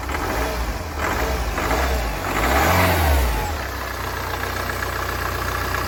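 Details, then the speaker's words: Mini Cooper D diesel after crank pulley bolts refitted and belt reinstalled; clatter rises with a brief rev then drops to steady even idle, no knock or rattle (earlier brick-in-washing-machine rattle gone); sounds good, normal running. "as you can hear this is the mini coopa D the diesel version so that sounded good"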